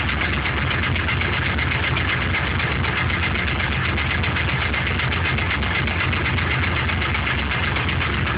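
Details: LS1 aluminum block from C5 Corvette with truck accessories, 10W-30 conventional oil, cold start: uneven fast tapping about four per second over steady rumble; owner suspects piston slap, unconfirmed; runs strong, no leaks or smoke.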